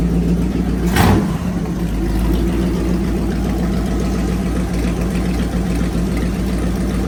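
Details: Fully rebuilt Magnum 318 V8 (360 cam, roller lifters, new timing set, valve job), timing adjusted and vacuum leak fixed, running heat cycles; deep even idle with one quick rev, no misses or knocks, healthy.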